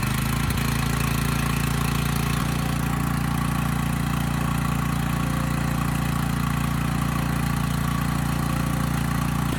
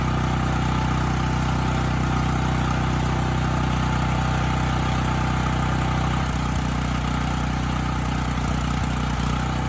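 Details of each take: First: Coleman Powermate generator, just started, carb needs attention (won't run off choke); steady idle with even rattle about three times a second that sounds like knocking but is the frame rattling; frame rattle. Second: Dirty Coleman Powermate 5000 W generator after an air filter change: a steady, even low drone with no hunting, surging or misfire; it now runs well both unloaded and loaded.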